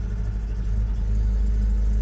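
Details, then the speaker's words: Honda Accord 8th-gen coupe right after a cold start: low, lumpy idle with uneven beats and a stumbling rhythm, misfiring while cold. "Ну, вже накачали. О, який. Ого, сейчас ещё хуже начало."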